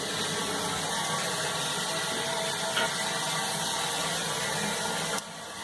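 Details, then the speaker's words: Dauntless Rubberline high-level well-bottomed cistern, after syphon diaphragm replacement in a 1970s Shires E9 syphon, water turned back on: steady even hiss of refilling that drops away abruptly, no sputter or gurgle, no leaks; normal cistern refill. "So yeah, now I'm going to turn the water back on. And obviously check for leaks as well."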